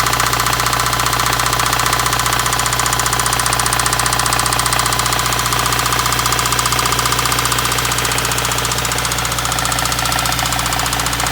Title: Subaru Wrx 2015 Rod Knock 49k miles